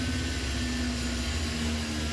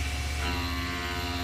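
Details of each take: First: Machining a pre-drilled 1.25–1.5 inch pocket with a single-insert plunging hog shear tool and high-pressure coolant, now 1.5 inches deep; steady loud roar with low hum and faint high tone, spindle slightly more strained at the end. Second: Plunge milling with single-insert hog shear at 20 inches a minute feed-in, reduced from 30 after hogging down, high-pressure coolant on: steady low drone, even tone, no chatter or squeal, bogging down only slightly; normal cut.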